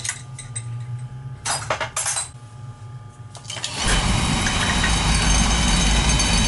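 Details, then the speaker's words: Beckett oil burner on a boiler, after repairing a no-spark fault blamed on a bad transformer: clinks and motor hum, then at about four seconds a steady roar as the burner lights and holds flame; possible oil buildup and smoke. "We'll fire it up. And if it, like I said, if it's smoking, you got to keep it running. Might be oil in there."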